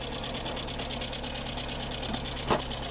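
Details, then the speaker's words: Skoda Fabia with Skoda engine (not VW-derived), running on a donor battery at idle: quick, steady sewing-machine-like clatter; insidious engine fault hard to notice at first, hydraulic lifters ticking because coolant has mixed into the oil. "wir reden hier von einem sehr heimtückischen motorschaden kein scherz der wagen ein motorschaden im moment im ersten auf das erste hinhören nicht wirklich zu merken oder klappert"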